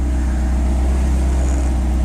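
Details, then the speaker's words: Non-VTEC B20 on Huntertuned decapped E85 injectors (about 1000cc), throttle stop screw backed down to just above stall: deep, steady idle with even low rumble, no stumbles or misses; running smoothly. "I back to screw down until the car was about to completely stall out and give me just a little smidge on it which is perfect I can't complain about that and she's idling perfect can't really ask too much from that top five"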